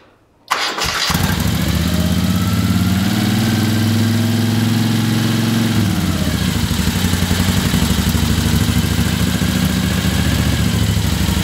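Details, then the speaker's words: 1975 Moto Guzzi twin, restored, cold start at about 40°F with choke on and fuel on: brief crank, then catches and settles into a steady, even low idle with no knocks or misses; normal cold start. "It's about 40 degrees out here, so chokes on. Key on. Watch this one finger."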